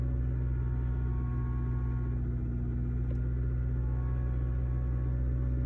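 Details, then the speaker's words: 2006 Toyota Corolla 1.8, over 200,000 miles, started cold (misfires mostly when cold, going uphill), new coils: low slightly uneven chug at idle, misfires across the board, codes P0301–P0304. "looks like one's misfiring a little bit my goodness we got misfires across the board"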